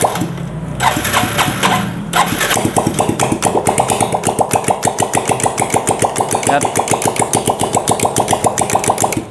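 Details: Yamaha Vega ZR, exhaust removed, clutch cover area noisy, oil very low/degraded: engine catches then settles into a hard, regular clatter about six beats a second that won't smooth out; severe internal knock ("ngelotok"), cause to be found on teardown.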